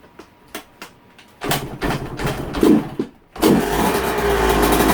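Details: Yamaha YZ125 two-stroke, cold start after fitting new V-Force reed petals; a few kicks, then catches and settles into a crisp even idle without stumbling; clean cold start.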